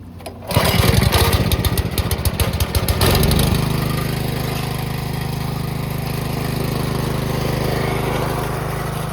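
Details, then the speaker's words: 2009 Kawasaki KLX 140, sat about two years, jump-started without a battery: fires after a few rough pulses, then settles into a steady, even low idle with no misses or knocks; runs fine. "here it is guys thing fired right up I keep forgetting that SP mod on all my videos go look at them and I'm always forgetting it it sounds like it runs pretty good though"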